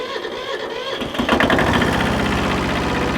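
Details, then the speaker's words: Free 1974 Kubota tractor diesel starting once the throttle is moved off stop: it catches within a second and settles to an even, steady chug of about four beats a second. Clean, easy start, runs like a charm. "This thing runs like a charm."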